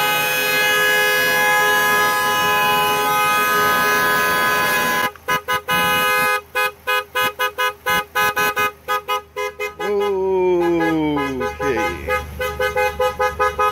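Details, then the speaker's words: Dodge Nitro no-start call, battery disconnected because the horn stayed on: the horn blares nonstop for five seconds, then honks on and off by itself; a faulty TIPM horn circuit is suspected. "They disconnect the battery because obviously the horn was staying blowing."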